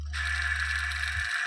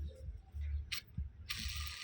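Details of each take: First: Washing machine spin-dryer motor after swapping its cracked, noisy bearing for a better used one: smooth, even hum with a faint steady high whine, much quieter than before, no grinding; new bearing would quiet it further. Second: Washing machine spin-dryer motor upper bearing (6201RZ) spun by hand: uneven rattly bursts and gritty rasp instead of smooth spin; cracked, rusted bearing needs replacing.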